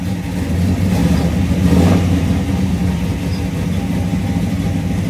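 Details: 1972 Chevrolet Chevelle, aluminum-headed 462 cubic-inch big block built last year, about 602 hp, rebuilt Turbo 350 with stall converter and shift kit: deep, lumpy rumble swelling with a quick throttle blip and settling evenly; normal idle and revving.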